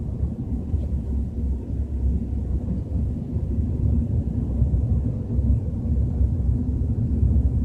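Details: BMW 320i at 30–40 km/h: deep steady rumble felt more than heard under road noise; source unidentified, cause unconfirmed.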